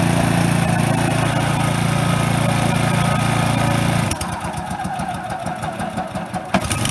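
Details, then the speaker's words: Brand-new Toro TimeMaster 21200 electric-start mower on its first start: a steady, even buzz at idle, then the pitch drops and the note goes choppy once the blades are engaged; normal running. "this is me starting the mower for the first time just want to hear how it sounds when it idles"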